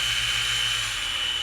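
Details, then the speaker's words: Mini mill just fitted with a Little Machine Shop belt-drive conversion: steady high-pitched DC motor whine over an even cooling fan rush, no knocks or rubbing; runs normally. "so here we go and we turn it on you can hear the cooling fan running and there's a high-pitched whine from the mayor of DC motor"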